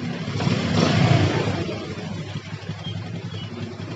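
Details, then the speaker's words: Yamaha Jupiter MX that started then died, caused by a pinched, heat-blocked carburettor vacuum/fuel hose: after fixing the hose, a short rev blip then a steady, even low putter that holds without dying; normal idle. "dia langsamnya langsung ini ya langsung gede sendiri nih jadi enggak enggak saya setting udah gede sendiri dia Rupanya dia berarti dia tarikan bensinnya nih udah sempurna ya"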